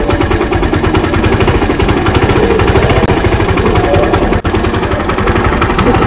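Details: Suzuki Intruder 125 after sitting about a month: small single-cylinder chuffs uneven at idle with sudden dropouts, missing and stumbling; owner suspects bad fuel and a dirty carburetor, cause unconfirmed.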